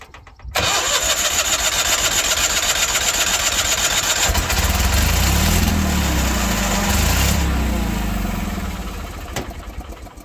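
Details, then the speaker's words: 1986 Ford F8000, sat about 8 years: catches on starting fluid and runs rough only while the starter is held, then fades out. Not getting fuel; quitting off the starter may also be electrical. "Yes, sir. It's quitting when I let off the starter. It's not getting fuel, but it's also quitting when I let off the starter button."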